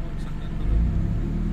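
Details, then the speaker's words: Toyota 4AFE engine, warm, with high idle: idle sags into deep uneven throb when aircon compressor engages, engine shaking; rough idle with AC on. "ang bira airconin natin aircon bagsak siya todo bagsak Ayan na. Nanginginig na oh."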